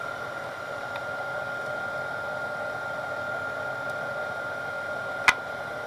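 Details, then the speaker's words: Denso 120A alternator off a Grand Cherokee, bench tested at about 3000 rpm on a weak roughly 8V battery: the sound changes as excitation is raised to maximum, a smooth steady whir with a faint high whine. Normal charging at about 10 A. "as soon as I crank the excitation up we can hear this up we can hear the sound is changing of the alternator and so that's about maximum"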